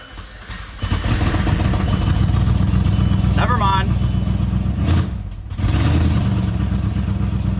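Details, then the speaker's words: C5 Audi S6 4.2L V8 with tiptronic, first start after a timing belt job: starts after a bit, then a steady low V8 rumble settles into an even idle, in time, no misfire; coolant leaks still to fix. "we're live it's good and it ran great it sounded good it was in time the car was in time it's in time it wasn't misfiring or anything"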